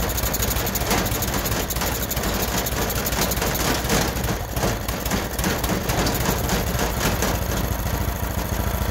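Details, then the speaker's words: Freshly rebuilt Honda GX390 13 hp single-cylinder, started by choking manually: loud, steady low drone with even firing, no misses or surges; runs well, but the vacuum auto choke module is suspected faulty and is to be replaced. "okay so I think that the auto choke is not uh choking properly because I can manually choke it it's starting the rebuild was successful it runs really well"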